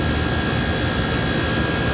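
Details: Prep table multiplex, one condensing unit for two regions, while charging refrigerant: even unbroken rushing hum with faint steady high tone, no cycling off or rattles; running healthy after opening closed valve.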